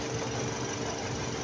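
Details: 2023 Toyota Camry idling with check engine light and shaking: uneven, lumpy beat instead of smooth run; coil swap between cylinders tested first, one cylinder misfiring from faulty injector.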